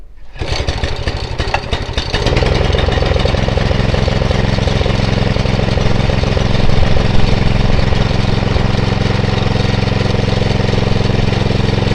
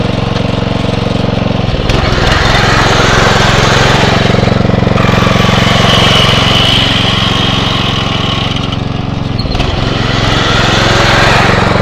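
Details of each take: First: Atco Royale B24E cylinder mower single-cylinder engine, before carb clean: catches after two seconds, then low, fairly steady chug with slight rises and dips; dirty carburettor making it hunt under load. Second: Atco Royale B24E cylinder mower engine after carb clean: steady even beat, brief rev dips as drive engages under load, quick recovery without hunting; running smoothly.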